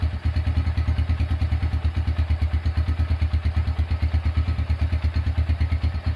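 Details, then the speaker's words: Restored Honda Tiger single-cylinder engine, first start after rebuild with repaired exhaust bolt: steady, even thump about three beats a second, no knocks or rattles; runs smooth as hoped. "oke itu dia eh hasil suara atau hasil menyalakan suara mesin Honda Tiger dan sesuai harapan suara mesinnya halus"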